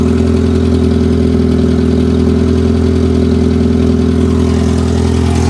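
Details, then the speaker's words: Loud, raspy, puffing idle from a 74K-mile 1991 Plymouth Colt Vista with a 4G63 Mitsubishi engine, sold as a non-runner; exhaust leak from a broken flex pipe. "we have exhaust coming out of the mufflers probably a broken flex pipe unbelievable"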